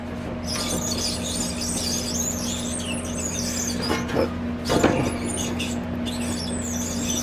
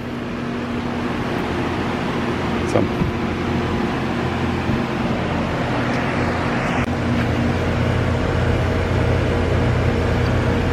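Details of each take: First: Outdoor AC condenser fan motor, 825 RPM, blade checked and fine, customer reports loud squeaking: high chirpy squeaks come and go as the fan is turned slowly by hand, from a bad motor bearing. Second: AC outdoor unit after a loud squeak complaint: condenser fan motor run on the capacitor with rotation corrected, steady even hum with no squeal or rubbing; sounds normal.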